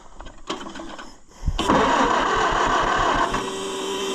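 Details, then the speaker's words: Customer's Oliver 550 tractor, fuel had been off, points suspected burned: sluggish, uneven cranking about two and a half turns a second that never catches; battery nearly dead, jump box used next. "Battery's about dead. Well, Ross has a solution for that, too. In the form of a jump box."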